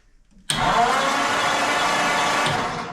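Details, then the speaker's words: 1940 Ford flathead, sitting since the late 1970s, positive-ground ignition, test light on the points: starter spins the engine at a steady whir for about two seconds, no firing. No spark because the points aren't working. "so no surprise to me whatsoever the points are not working correctly"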